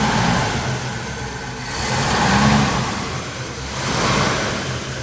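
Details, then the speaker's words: 1954 Buick Century with rebuilt Nailhead V8, dusty but all original, idling by itself: deep, even burble rises gently twice and settles back, steady firing, no knocks or misses; healthy idle. "Other than being quite dusty, it's all original. It's idling all by itself."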